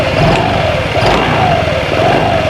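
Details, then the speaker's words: Honda Vario 125 scooter idling with short throttle blips, each bringing a light click from the CVT; the pulley area is checked first, and the noise is traced to the double rubber part, fixed by shimming or replacing it. "Namun ketika pedal gas ditekan. Lihat, ini mengeluarkan suara klik , saudaraku."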